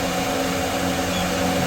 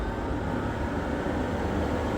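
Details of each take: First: Old rusty, dusty exhaust fan found after sitting about 20 years, restarted: smooth, even whoosh with steady motor hum, no ticking or rubbing after brief initial screaming; running strong and healthy. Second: Old rusty, dust-caked 12-inch Pakistani exhaust fan: steady, even roar with a low rumble once up to speed; rough, dry-running motor points to bearings lacking lubrication.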